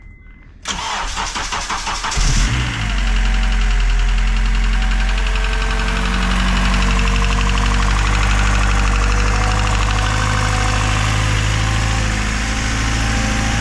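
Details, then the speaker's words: K24A-swapped EM2 Civic coupe, first start after installing Drag Cartel drop-in cams and valve lash adjustment: cranks briefly, catches and settles into steady even idle with no knocks or misses; sounds a bit beefier. "It It sounds a little like a little bit more beefy."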